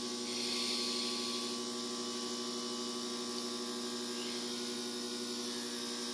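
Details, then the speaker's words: 24V Cummins diesel, standalone wiring, out of the truck before first start: steady electric hum with a faint quick pulse, engine stopped; lift pump kicks on and primes normally, earlier no-start suspected from lift pump not running. "I think my problem whenever I had it hooked up on the truck is maybe the lift pump wasn't running so see then hear you hear the uh lift pump kick on"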